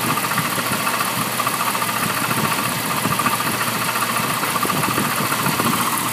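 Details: 1998 Jeep Cherokee XJ 4.0L idling with uneven knocking, roughly forty-odd a minute, hard to isolate; owner believes it comes from the front of the motor, origin unknown.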